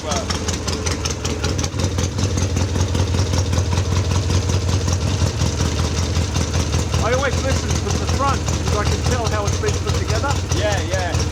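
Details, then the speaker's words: Classic twin-cylinder motorcycle with a freshly rebuilt barrel, said to sound like a Triumph: even, steady beat of about 2.5 firing pulses per second with no knocks or rattles. Normal, healthy idle. "sounds like a trium sh very nice very nice it's beautiful ride nice nice work yeah really good"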